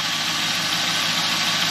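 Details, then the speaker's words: 2001 Camaro SS LS V8 after a new Cardone power steering pump, new hoses and Amsoil fluid, bled lock to lock with wheels raised: smooth steady idle, soft hiss, no whine, only the normal aluminum-block LS ticking; steering pump now quiet. "It is so smooth now. I mean so quiet. All you hear is the the Duran LS picking thing, you know, because of these aluminum blocks."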